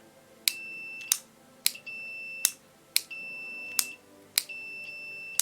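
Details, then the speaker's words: 1948 HMV Model 547 radio, repaired on/off switch tested with multimeter continuity: four clear high beeps with clicks as switch toggles on; switch now makes good contact and works. "I think you can hear the beep off no sorry on off cool it works"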